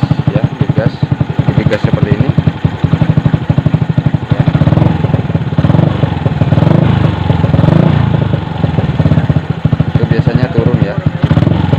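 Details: Yamaha Jupiter MX/Vixion single-cylinder idling after water pump seal replacement and coolant top-up: steady evenly spaced exhaust pulses, no stumble or tapping; healthy idle, coolant level stays constant, so no leak.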